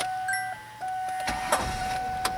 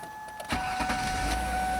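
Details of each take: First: 2000-2007 Ford Taurus/2000-2005 Mercury Sable with a fuse pulled to drain the fuel system before a fuel filter change: a warning chime, then the starter churns evenly about three beats a second but the engine never fires for lack of fuel. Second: 2000-2007 Ford Taurus/Mercury Sable right after fuel filter replacement (old filter used for 85,000 miles), with the ignition primed four or five times: a short crank catches at once and settles into a steady, even run, a clean healthy start.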